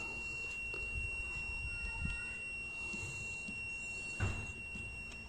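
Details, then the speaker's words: Continuity test on a 2000 Holden Astra Z18XE wiring (P0100, new MAF fitted): an unbroken high-pitched beep holds steady through the whole wiggle with faint handling clicks, so the wire is intact and an internal ECM fault is concluded. "I'm not losing any signal guys so I don't lose the beeping sound so it means that there is no problem with my there's no problem with my with my wire"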